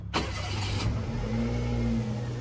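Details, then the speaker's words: Mira Walkthrough that had a diesel-like exhaust leak, restarted after a loose bolt was tightened: a short crank, then a smooth, quiet, low idle with no puffing or ticking. Normal start. "now it's quieter let's give it a REV let's see if this entire time Mr Blueberry Lemon just had a loose bolt that's [Music] crazy"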